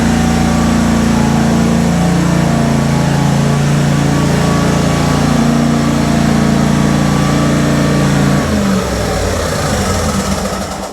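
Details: Kohler twin engine on a Simplicity Stallion zero-turn after a new muffler replaced the suspected plugged exhaust: steady, even twin-cylinder beat at a slightly low idle, faint whoosh; runs great, RPM maybe a hair low, leak-down test planned to check head gaskets.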